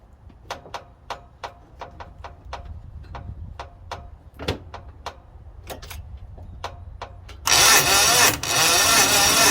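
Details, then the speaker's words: International Harvester 4130 skid steer with a newly installed starter and fuel reaching the carburetor: starter drags the engine slowly, about two uneven compressions a second, and it never fires; slow crank, no start, ignition being traced. "foreign still turning over slow so I'm gonna try to hit it with some starting fluid to see if this thing will fire"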